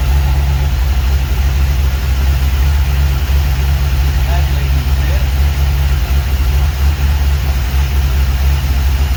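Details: 1949 Chevy 3100 truck with newly installed V8 motor, first run in garage: deep even idle, steady low rumble, no knocks or misses; sounds good.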